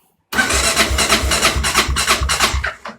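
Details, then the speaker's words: Kawasaki KLR650 Tengai after prolonged storage, choke on: steady starter churn that never catches; fuel tap closed let the carburetor bowl evaporate, not enough fuel to start. "connaissez tous le bruit de la moto qui tourne avec starter mais qui démarre toujours pas n'est ce pas et donc pourquoi ça démarre pas comment tout est à l'arrêt depuis longtemps en fait la cuve du carburateur a tendance à s'évaporer un petit peu"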